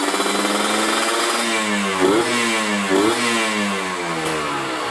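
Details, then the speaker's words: Kawasaki Ninja 150RR two-stroke, carburettor rejetted after booster/ground cable made it run lean: clean, even pickup rising and falling through the midrange with no stumble; midrange good, bottom end still deliberately rich, needing more air. "ya, tengahnya udah enak."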